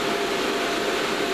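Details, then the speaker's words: Two fans newly mounted in a PA airbox: a steady even rush of air with a faint mid hum, no rattles or speed wobble; still reasonably noisy but a good bit quieter than before. "alright still reasonably noisy its I think that's that's a good bit quieter than it was"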